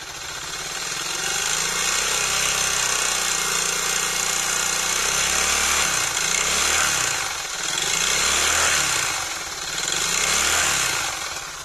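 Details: Suzuki DF200E / DF200EV outboard before repair: rough, uneven idle with a fast clatter at about 220 per minute over the engine; abnormal noise and poor running, cause still unknown.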